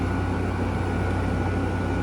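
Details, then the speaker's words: 2016 Frigidaire 5,000 BTU mechanical window air conditioner with R410A: steady, even hum with constant fan rush and the compressor running, no rattles or rising whine; coil cold throughout, running healthy. "And it's all mechanical, too, as you can see. And there you can hear the compressor. Oh, this thing is freezing."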